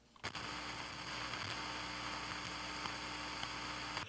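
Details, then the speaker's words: 1965 Admiral stereo AM/FM tuner-amp, previously recapped, right channel losing gain over hours: constant speaker hiss with low hum unaffected by volume control, so fault after the volume control, before driver stage suspected; hiss and hum. "now you can hear the noise here and the noise is unaffected by the volume control so the noise is coming from something that's wrong after the volume control"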